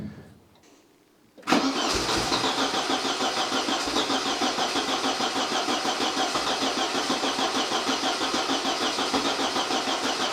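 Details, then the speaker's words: Porsche 924 first start after engine overhaul and reinstallation, fuel system primed until injectors squirted fuel: quick crank, fires at once, settles to a smooth, even idle with a steady beat and no misses. "and then I turned the key and this happened so there we go the engine is running"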